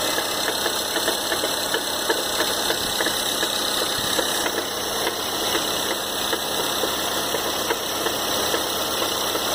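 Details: 2013 Ford Fusion 2.0L EcoBoost at idle: sharp ticking knocks repeat steadily and keep pace with engine speed through an otherwise even idle. The cause of the engine knock is still unknown.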